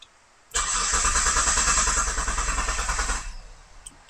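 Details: Mitsubishi Legnum with a replacement engine that won't start, cranked while checking the crank sensor signal at the ECU with a flashing probe. The starter spins about three seconds with steady, even compression beats, but it never catches.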